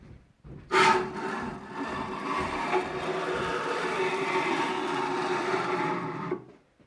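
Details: Newly arrived 6040 CNC router, axis moved by hand before stepper motors fitted: harsh rough rasping grind throughout the stroke; all axis screw bearings seem worn out.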